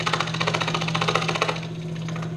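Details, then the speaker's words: Scroll saw switched on, loud like a sewing machine as the blade undulates up and down; fast, even blade-stroke chatter over a steady low hum with an unchanging rhythm. Normal running. "I'm going to turn it on it's gonna be loud kind of like a sewing machine this blade undulates up and down"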